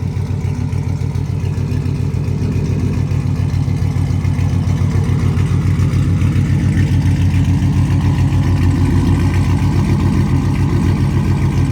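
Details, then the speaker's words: Pontiac G8 GT V8 cold start after sitting a couple hours, first start after fixing a failed key programming no-start with a new key; steady even low rumble, no stumbles or misses; normal cold start idle. "Let's get, not a cold start. Well, technically it is. It's been a couple hours. Get y'all a proper cold start."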